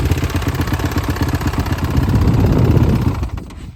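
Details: 2018 Honda CRF450R single with a known motor knock, revved in blips: rattly knock riding each firing pulse under throttle, dropping away as revs fall; owner suspects the decompression valve since it occurs only on throttle, unconfirmed.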